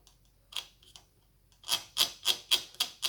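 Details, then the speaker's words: Gel blaster gearbox (SCAR build) turning: rhythmic harsh scraping strokes, about four a second, as the spur gear rubs the bearing beneath it; needs a shim under the gear to lift it. "it'd sound like that. So if you were contacting that bearing, you'd need to put a shim underneath this gear to bring it up off of that bearing."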